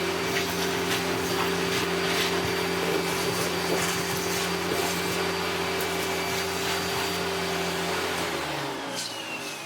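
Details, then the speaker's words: Hitachi Powerhouse CV-460D upright corded vacuum, circa late 1980s–early 1990s, with hose attached: strong steady motor whine and clean airy rush, a lovely amount of airflow; suction normal. "Just like the cylinders, that has a lovely amount of airflow."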